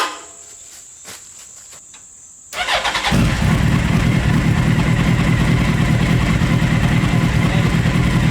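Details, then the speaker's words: Mini trophy truck project with a four-wheel-drive, motorcycle-style engine, muffler baffle removed; the engine starts and settles into a loud, even, deep idle with no misses. It runs normally, only slightly louder without the baffle. "I think it sounds better it's actually not that much of a difference I it's a little bit louder but I think it sounds better"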